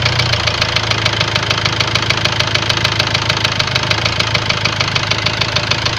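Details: Ford Transit diesel idling with a sharp, regular knock about three per second over the clatter; scan shows high-pressure calibration data, cylinder balance fault and a leaking injector, plus loss of revs, knock cause unconfirmed.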